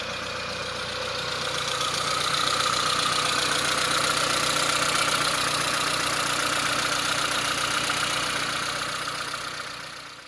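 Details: 1998 Saab 900 SE running with a temporary fuel supply plugged into the fuel rail to test a suspected bad fuel pump; steady, even idle with light regular ticking and unchanging tone, no misfire or stumble; normal idle.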